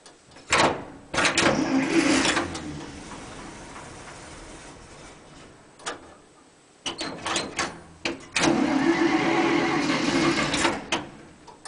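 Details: 1947 International Harvester KB-1 panel truck, unrebuilt Green Diamond 214ci six, cold start with choke pulled and no fast idle linkage or throttle cable: two spells of slow, chugging cranking with pauses, struggling to catch.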